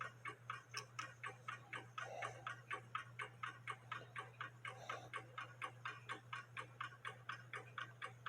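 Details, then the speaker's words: 1880 Alexander Fleig antique cuckoo clock after repair, hung on wall: brisk even ticking without pendulum over faint hum, in beat — normal. "section there as you can hear it ticking away without a pendulum and that's where it's supposed to do"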